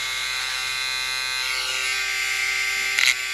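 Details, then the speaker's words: Small electric motor from a Marui Big Bear R/C monster truck, bench-tested on a power supply during rebuild: high, buzzy whine with a coarse edge, rough-running, before oiling its bearing, which noticeably quietened it. "this motor does not sound that great we'll give you an example here it's not that bad"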